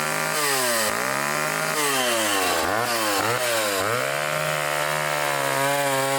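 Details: Restored old vintage foreign chainsaw cutting wood: strong steady two-stroke buzz that sags as the chain bites and quickly recovers; healthy saw pulling well.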